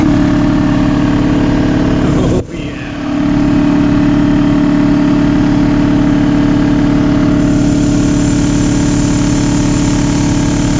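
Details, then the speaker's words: Air compressor after fitting hockey-puck mounting feet to stop steel-on-concrete grumbling; steady drone with even pulse, brief dip, no rattle or grumbling; normal running. "so adding these feet the other day it was kind of grumbling on the floor as I was running it I think now we made an improvement let's check it out"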